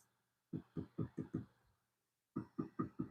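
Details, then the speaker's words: Wood bowl still on the lathe chuck, tap-tested: five dull taps, a pause, then four more, all dead thuds with no ring; the bowl wall is still too thick. "Still a little bit of a thud. I'm not quite getting a singing sound. Maybe if it was off the chuck, I might get a little better sound. But I think we're a little fat right here, but we're getting down here."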